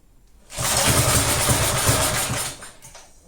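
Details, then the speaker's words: Briggs & Stratton engine on a roughly 1991 Texas garden tiller, stood unused for years, fires on choke after a pull, possibly with brake cleaner in the throat, runs roughly about two seconds then dies; not getting fuel. "no it won't run well it also have to get some fuel and it doesn't it kind of sounds like it want to go"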